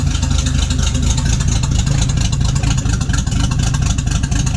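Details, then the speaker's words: 1976 AMC Gremlin, stored 36 years, restarted running from its flushed fuel tank: steady low rumbling idle, even and unhurried, no misses or knocks; normal idle. "Looks like it's working. Heck yeah. Not bad. Looks like we got a gas tank."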